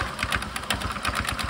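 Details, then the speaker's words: Suzuki Access scooter with loud noise from the rear, CVT cover off, engine running: fast rhythmic slapping ticks, about nine a second, from a CVT drive belt with many broken teeth. "Drive belt कुछ अजीब तरीके की हरकतें कर रहा है तभी mic बंद करके देखते हैं इसमें क्या खराबी आई है वह किधर मैंने नोटिस किया है कि मेरा बेल्ट के दांत जो है वह टूट गए हैं"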